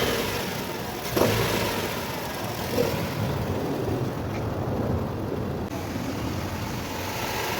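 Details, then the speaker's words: Nissan Sentra engine running with an uneven rumbling drone, vibration and a couple of sharp thumps at start-up; worn belt tensioner whose spring has lost pressure and bearing is damaged lets the belt flutter; tensioner and belt replaced, vibrations gone. "ruo de tensor de la correa y el movimiento que tiene"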